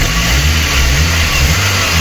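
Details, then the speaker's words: VAZ 2109 petrol engine that was misfiring, after cylinder head work and vacuum hose leak fix: now runs steady and even with only a faint light tick from worn valve tappets. "принципі не дуже сильно і цоковіть стаканчики а против того як працював"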